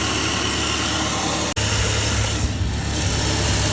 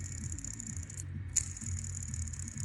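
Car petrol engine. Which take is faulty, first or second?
second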